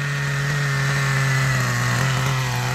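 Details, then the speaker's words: Old 1997 Kyosho nitro RC with a GS11X engine and cooling fan, after a slight leaning: a steady, high buzzing idle, a bit soft and burbly. It is running super rich and expected to stall. The car has no drive. "you just can't kill it's gonna turn off in a little bit because uh running super super rich"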